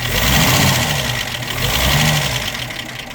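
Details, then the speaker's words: Armstrong Siddeley Lancaster after new distributor fitted, idling much smoother than before, but light busy top-end clatter remains; hydraulic tappets thought to be out of adjustment. "and you can hear it's running a lot smoother a lot nicer and a lot better than it was for them hydraulic tappets are still rattling in dad's opinion"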